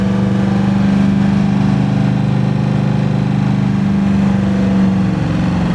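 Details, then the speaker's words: 1982 Chevy G20 van, 350 small block with a new camshaft, heads, intake, carb and headers, idling after the completed cam break-in (3000/2200 rpm cycles): a deep loping rhythm and low rumble with no ticking or knocking; a healthy idle. "All lobes have survived this ordeal. The engine's got some snap to it. Got a really healthy lope at idle."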